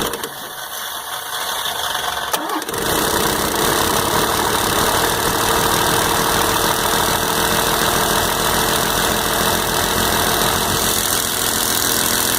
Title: 12 valve hard start, smoke and tick